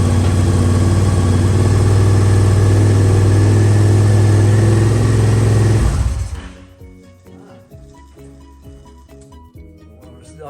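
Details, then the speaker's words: Honda motorcycle stored 5 years, after new spark plugs, ignition bypassed and battery booster: strong, even low exhaust beat for about six seconds then shut off; runs normally. "it running too long but yeah it's good she lives"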